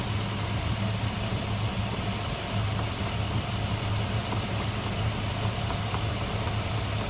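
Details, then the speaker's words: After installing a new pressure switch with new O-rings, the A/C compressor and relay switch on, and the engine idles steadily with the compressor engaged throughout; no dropouts or cycling. "as you can hear the compressor turned on relays on"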